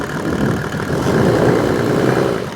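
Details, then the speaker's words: Rebuilt Mercedes OM606 diesel, hot engine, at idle: steady clatter with a gentle rise and fall in loudness; oil pressure just below 20 psi on an added gauge, running normally. "So yeah, as you can see, the oil pressure at idle is just below 20 psi, and that is a hot engine."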